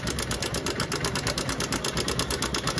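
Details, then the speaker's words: Honda Shine with a dead battery, cut wiring rejoined, started with choke: a fast, even ticking of about ten clicks a second over a steady idle, and the timing chain tensioner is very noisy. Timing chain tensioner noise. "Time tension आ र है उसका काफी ज्यादा काफी ज्यादा sound आ रहा है friend"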